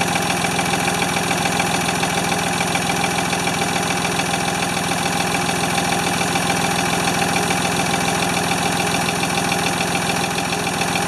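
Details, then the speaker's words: Free Ford 2600 tractor on first start attempts, smoking as it burns oil off, with plug wires popping off. It runs unevenly at about eighty beats a minute with a hunting, lumpy note. The owner says fuel delivery is not feeding enough fuel. "definitely have fuel delivery issues it's just not it's not feeding enough fuel"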